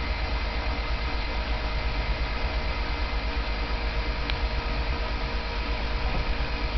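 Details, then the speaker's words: Honda Civic cranking after sitting and cooling off, trouble began after bad gas: fast, light, hollow cranking with no firing or catch, compression seems low; owner suspects a valve sticking open. Cause unconfirmed. "So if you guys have any ideas of why it's doing it, it happened after that bad gas got in it. I think it's making a valve stick open or something."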